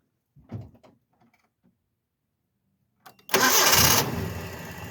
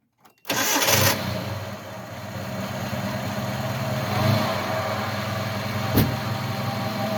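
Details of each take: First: Truck after belt-system pulley repair, alternator charging, belts running true: quick crank, catches at once, even idle with no growl from the belt area and no weird noises; normal idle. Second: Truck belt drive (power steering pump, idler pulley, alternator), starting to idle: steady low growl from belt end, narrowed to alternator or idler.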